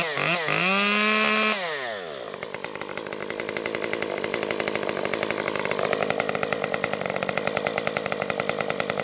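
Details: Stihl MS 194T top-handle chainsaw after muffler mod (inner baffle removed) and tuning, cutting red oak; screams up from idle, then holds a strong steady crackle biting into the wood with no bogging or stalling, cutting normally.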